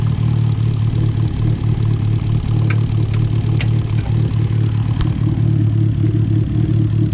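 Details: 2012 Fiat Abarth at start-up after coil packs were replaced: rough, uneven low idle with a stumbling, irregular beat and sharp pops; clear misfire at idle, no codes shown, cause suspected but not confirmed.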